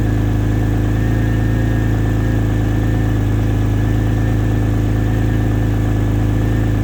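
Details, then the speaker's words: X50 turbo cold start after sitting two or three days; steady cold idle with a constant whirring hum over the engine note: secondary air pump running at cold start, normal. "all right guys we're going to go ahead and do the uh cold start here on the turbo probably about I would say uh definitely two maybe three days since I started it so you can hear the uh hear the air pump keep on"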